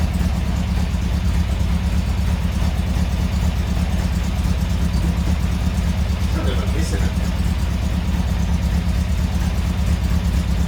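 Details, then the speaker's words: Steady low idle with an uneven, lumpy lope about twice a second, sounding like a big camshaft; the owner thinks it is just a misfire, not confirmed. "it sounds like it's got a big camshaft load but it's just a miss i think"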